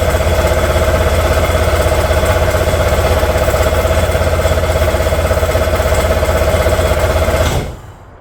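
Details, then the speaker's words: Old jet ski that sat for years, parts just cleaned and regasketed: hard, labored cranking about four beats a second, never fires; owner suspects valve adjustment or timing problem. "it turns over so hard"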